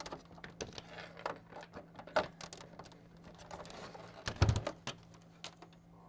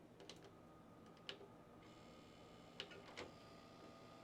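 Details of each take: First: Original Xbox DVD drive after repair, tray opening, closing and loading a disc: soft clicks and short motor whir, no grinding or stalling; tray working normally. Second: Original Xbox disc drive: scattered clicks and thin motor whir while the tray fails to open, stuck; deformed tray drive belt blamed.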